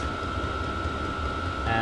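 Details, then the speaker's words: 8kW Chinese diesel caravan heater in a van in freezing Minnesota, first test run after install, pump running at max; steady fan hum with a high whir and soft low rumble underneath, running evenly flat out; normal running. "so yeah it's interesting run that high now you can hear it pumps running it's at max"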